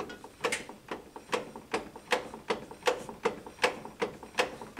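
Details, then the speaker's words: PT Cruiser GT front CV axle, car raised, wheel turned by hand: sharp dry clicking about two or three a second; no wheel play; suspected inner CV joint low on grease, possibly damaged boot slinging grease; not confirmed. "sounds like a lot of clicking. Pretty sure that sound we're hearing is coming from the inner CV joint, so it could be like really low on grease too, which isn't good."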